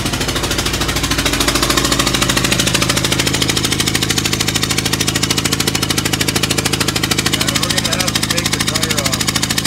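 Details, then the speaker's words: Renault 5 at idle after a loud bang and power loss while driving: sharp, even chuffing puff every turn, loud and hissy over the engine; owner suspects a blown-out spark plug on that side. "my only hope is that it's a spark plug that is blown out which is a strange thing"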